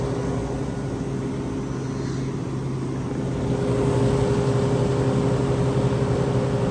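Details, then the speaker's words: Vintage Westinghouse 10,000 BTU R22 air conditioner (guessed about 1975) on high cool, recorded from behind near the compressor and condenser. A steady low hum and even motor drone with no knock or rattle; it runs normally and quietly. "it gets pretty quiet once it's uh running here"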